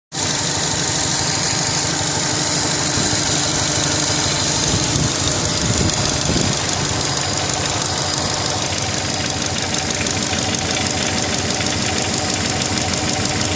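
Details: Subaru Legacy GT petrol engine at idle: light, fairly irregular knock about three a second over a busy hiss; owner thinks it comes from the turbo but wants to rule out piston slap or big end bearing.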